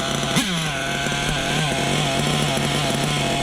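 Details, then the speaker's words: Small nitro engine being broken in, not running hot, idles with a buzzy tone that pulses gently up and down after the bottom-end needle was leaned and idle backed off; slightly too lean on the bottom. "a little too lean on the bottom. A little bit. Little bit."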